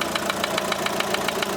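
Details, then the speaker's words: Opel Astra H Z17DTH 1.7 diesel with Bosch fuel system after an engine overhaul with injector replacement: sharp metallic knocks about seven per second at idle from cylinder one; metal shavings found in the sump. "Я думаю чутно що стучить у нас двигун"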